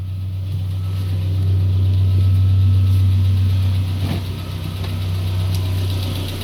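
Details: Peugeot 407 2.2 petrol, cold idle, Total 9000 5W40 oil: deep drone with a faint even tapping about four per second. It appeared after ring replacement, valve lapping, valve stem seal replacement and idle-air channel cleaning. Cause unknown.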